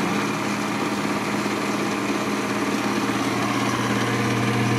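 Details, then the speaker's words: GE Potscrubber 970 dishwasher on a wattmeter, filled with cold water, drawing about 752 W with the heating coil on, draining: steady even motor hum with low drone and water rush, no knocks or grinding; normal drain cycle. "yeah we're draining again and i don't see anything new that's good"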